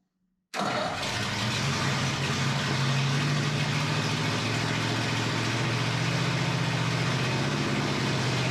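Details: Flathead Ford 8BA V8 from an F1 pickup, first start after 12V conversion with new points, condenser, cap, rotor and coils, carburetor not rebuilt: catches from silence and settles into a steady, even, smooth low rumble; normal idle.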